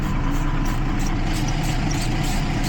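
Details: 2012 Jeep Liberty 3.5 L V6 after coolant leak soaked the engine bay: rough idle with stumble about every half second, misfires on cylinders 1 and 5; water exposed weak secondary ignition, suspected.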